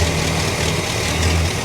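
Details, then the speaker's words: 1965 Cadillac V8 idling after the fuel pump (2 bolts and a gasket at the front of the engine) was redone over a fuel leak: low, even burble with no misses or knocks; smooth and healthy, no leaks seen. "Super easy to get to, and as you can hear in the background, she sounds pretty damn happy."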